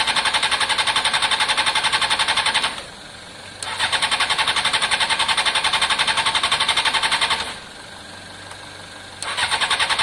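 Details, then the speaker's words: Honda CBR600 F4i fuel-injected, non-runner crash-damaged seven or eight years ago, after injector cleaning with fresh fuel; two long bursts of even starter cranking, about four beats a second, never fires; crank no start, fuel pump suspected, possibly in tank, not heard priming. "um i need to find out what the fuel pump system is on this um it's possibly in the tank i don't hear it prime or anything"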